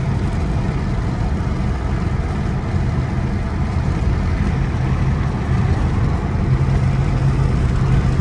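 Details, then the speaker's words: Saturn car on a power run after a once-over including CV axle boot replacement; earlier vibration much reduced: deep steady drone under road noise, no knocks, misses or surging; normal running. "see this thing runs great guys look at there runs like a"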